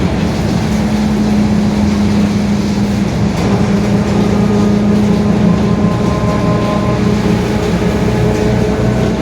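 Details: Marcopolo Torino S 2018 body on 2021 Mercedes-Benz OF-1721 BlueTec 5 diesel city bus, pulling under load: a steady low droning tone with faint higher whine lines rising, from a growling rear differential.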